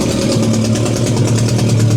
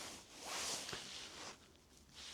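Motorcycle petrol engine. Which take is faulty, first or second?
second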